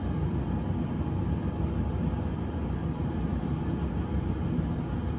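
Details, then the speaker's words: Whirlpool Cabrio WTW7300DW0 dryer after a rebuild with five new parts, including a thermostat, idler pulley, drive belt and rollers. The drum tumbles with a steady, smooth low rumble and no squeal, thump or scrape. Warm air, good airflow: normal running. "sounds great runs great sounds real smooth"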